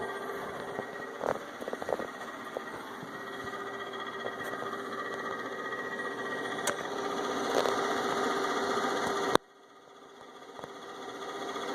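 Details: Inverter with only the left cooling fan on: steady mid-pitched hum with faint whine and scattered ticks, cutting off near the end; noisy cooling fan.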